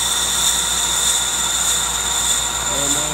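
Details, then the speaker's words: Older Accu-Turn 8922 brake lathe on final revolutions cutting the rotor's inside edge: steady high-pitched hiss and squeal of the bit shaving metal as the rotor turns; normal cutting. "okay friends it's about done more revolutions here on the Inside Edge and we'll be totally done you can still hear the bit cutting"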